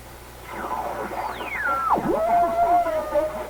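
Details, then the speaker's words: Recently restored 1934 Atwater Kent 944 tube radio on checkout, dial near 1500 kc: a whistle slides down in pitch as the dial turns, then holds as a steady squeal over the station. Heterodyne on every signal; alignment suspected, unconfirmed. "terrible heterodyne on every incoming signal."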